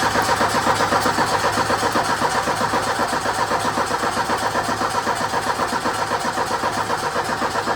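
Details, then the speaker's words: 1984 Ford Mustang SVO four-cylinder turbo, 5-speed: steady even cranking at about four beats a second but never fires; crank no start with fueling problem, fuel pump or clogged injectors suspected. "Well, as you saw, the thing didn't start. I'm thinking it might be a fuel pump. It could be the injectors. They could be clogged."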